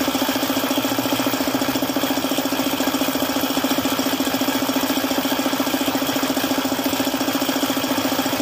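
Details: Suzuki F6A engine with a failed oil pump, idling: steady, hard knock about three to four times a second from oil starvation.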